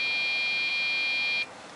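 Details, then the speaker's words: Dell OptiPlex GX620, Pentium 4 3 GHz, 4 GB RAM: shrill beep opening POST code 1-3-2, memory not initializing, persisting after RAM swaps, then hangs; solved by replacing motherboard and front panel controller board with OptiPlex 755 parts. "and then it just hangs error code 132 according to Dell's diagnostic manuals for this particular um computer state that that means there is something wrong with the memory or the memory isn't being initialized properly"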